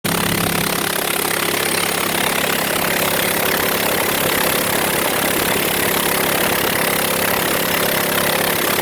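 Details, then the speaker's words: Honda with failed head gasket, treated with Blue Devil/K-Seal type sealer, two cylinders that pushed combustion pressure into cooling system disconnected and plugs pulled: rough, uneven idle, lumpy pulse about three per second, running on two cylinders. "all right so I'm still running on two cylinders I don't know if that stuff's any good but I know those cylinders that I have disconnected and I pulled the plugs"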